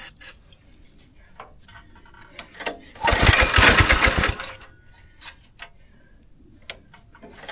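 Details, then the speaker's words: Go-kart engine unused about 3 years, choke on, primed, wide open after carb cleaner: fires, chugs unevenly about a second and a half, then dies; bad gas left in the system, smells awful, runs rough. "You got bad gas somewhere in your system. Alright. You smell that, right? Yeah. Okay, well, it runs."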